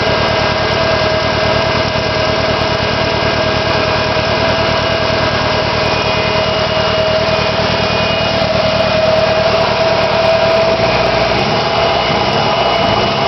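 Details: SR20DET after sitting for three months: a steady idle with an uneven, stumbling pulse in the exhaust note and a faint hum. Misfire at idle, cause unknown.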